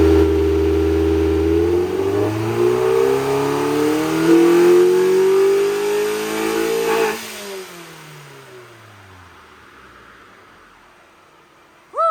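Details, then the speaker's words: 2002 Neon RT with 300,000 miles on a dyno at full throttle to about 6,800 rpm: engine note climbs smoothly with a tone change as the active intake runner opens, then falls off cleanly; normal run. "let's see you can hear that at that Runner it has like a runner in the intake and you can hear it open up"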